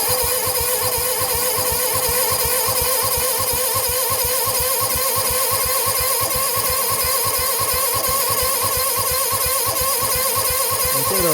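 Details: 1970 Sears Suburban tractor, 16hp OHV Tecumseh, after a no-spark repair with its magnets reglued using JB Weld; choked manually because the choke cable is missing; long steady crank about three pulses a second, never fires.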